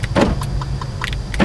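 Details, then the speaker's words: 2013 Land Rover LR2 with a no-crank, no-start condition and everything else dead: quick sharp clunks in bursts as the locks cycle on the fob over a low hum; lock actuators working, suggesting the medium-speed bus is up. "I can activate the door lock systems that tells me that the medium speed is probably up and working but the entire car is dead"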